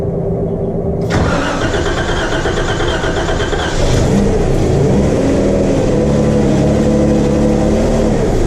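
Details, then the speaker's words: Wrecked 2012 Jeep Wrangler, first start attempt: engine cranks, catches on starting fluid, runs roughly; suspected fuel delivery problem, unconfirmed, power steering return also leaking. "all right I got some pissing here from the power-steering file return but the engine did run so we must have a fuel delivery hu I'm also out of started fluid but at least we've got a running engine"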